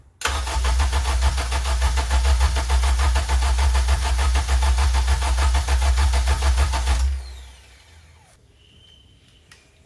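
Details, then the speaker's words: K24-swapped 1st gen CRX/3rd gen Civic first start attempt: long steady crank about three and a half turns a second for seven seconds, no firing, smells flooded; coil packs left unplugged so no spark. "um our coil packs aren't plugged in Brian oh really yep that's explains this freaking smell"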